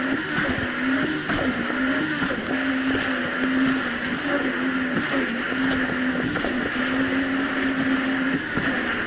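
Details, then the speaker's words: 2007 Yamaha VX Cruiser jet ski on choppy Lake Michigan after new spark plugs replaced mis-gapped old plugs: steady, even drone at constant pitch under wind and water noise, no surging or dropouts; quick throttle response, running smoothly. "yesterday I took it on the river near me but honestly the Jessie's actually running a whole lot better it's not doing the surging issue"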